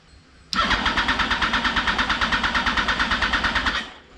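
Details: 2004 Yamaha R1 unstarted for over 10 years, early start attempt: the starter turns the engine over in even pulses about eight a second for three seconds but never catches; cranks, no start.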